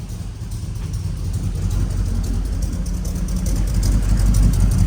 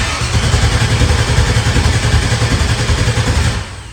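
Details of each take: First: LS V8 (5.3 per the ECU) swapped into a truck, running after a throttle pedal signal fix; a deep, even rumble that climbs smoothly with revs, with no misses or knocks; normal running. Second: LS-swapped truck that will not start; the ECU was swapped and a fuel pump wired, and it runs on ether, so the crank sensor seems to work. Steady, low cranking at about three and a half beats a second that never fires.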